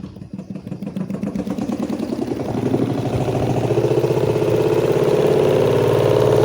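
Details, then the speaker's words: Washing machine spin dryer: loud rhythmic clatter about four knocks a second, building and rising in pitch as the drum spins up; cause usually cloth caught in it, suspected not yet confirmed. "Mungkin kalian familiar sama mesin cuci yang kerusakannya seperti ini. Suara di pengeringnya tuh gemelodak banget. Penyebabnya biasanya ada kain yang terjepit."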